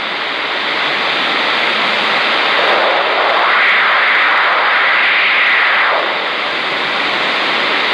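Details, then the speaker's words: 10-meter rig on a 15th-floor oceanfront balcony, Garden City Beach, South Carolina, often after a frequency change. Loud hiss with a rapid pulsing sweep of about four beats a second. Owner suspects something like a rotating radar; source unknown. "I've never heard that before. It almost sounds like some sort of rotating radar transmitter or something sweeping by here."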